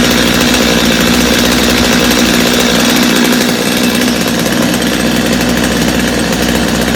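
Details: Customer's Stihl chainsaw after reassembly, original Bosch spark plug, started from full choke; crisp even two-stroke buzz holding steady revs without stumbling or surging; idle a little high but otherwise running clean and strong, little carb adjustment needed.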